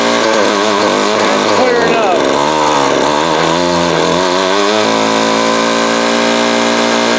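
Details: Vintage Craftsman 22.2cc 14-inch two-stroke string trimmer, estimated early-to-mid 1980s, original spark plug and fuel filter, fuel line replaced and carb cleaned; high buzz blips up and down, then settles to steady even note; runs healthy.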